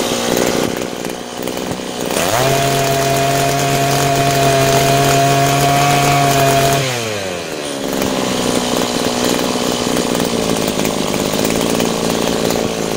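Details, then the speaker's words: Butane gas-powered brush cutter after carburetor repair (cleaned, diaphragm, gasket, throttle valve, new spark plug; previously started but wouldn't run): small two-stroke buzz climbs to a high steady clean scream as throttle opens and is adjusted, drops back smoothly; normal running. "Hãy đổ ga và nổ máy. Hãy mở van động cơ đang tăng tốc và đang được điều chỉnh."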